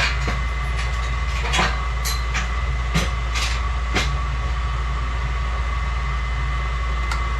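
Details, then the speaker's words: 1991 Snyder General spark-ignition furnace in an office, no heat: the inducer runs with a steady low hum and a faint whistling vacuum at the inducer hole, but nothing ignites; the pressure switch isn't closing and there is no voltage at the spark box, with a port found partly plugged. "Pressure switches aren't making. Man, you can hear the vacuum on that inducer hole. That's crazy."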